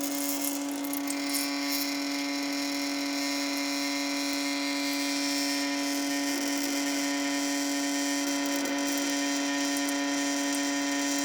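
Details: Sink with a constant stream of running water: a steady mid-pitched buzzing tone with a hiss over it, unchanging throughout; suspected resonance or possibly a viscoelastic effect, not confirmed.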